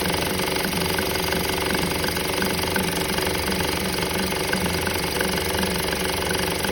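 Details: 2013 Honda Civic petrol engine idling with a fast, uneven metallic rattle over the hum; noise persists after belt tensioner and belt were replaced.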